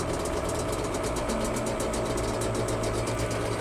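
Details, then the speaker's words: Yamaha Banshee two-stroke twin at raised idle during carb sync: slightly uneven, lumpy beat; sync gauge reads about 7 on one carb and 10 on the other, so carbs are out of sync before cable adjustment. "And it looks like one side is sitting at about 7. And the other side is going to actually be sitting at about 10."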